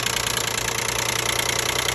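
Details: 2012 Nissan Maxima 3.5 L at idle: fast, even, bright tinny ticking rattle from up top around the intake; a loose intake bracket chattering, with the noise dropping once the bracket was taken off.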